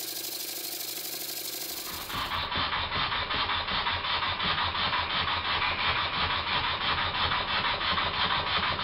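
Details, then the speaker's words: Very old Stuart S50 steam engine, reassembled, running on compressed air with valve timing set: fast even chuffing beats with airy hiss, slight air leak at steam chest pipe, no knocks; runs smoothly with plenty of power. "I've set the valve timing fairly accurately and I'm surprised as it runs this well there's plenty of power as well"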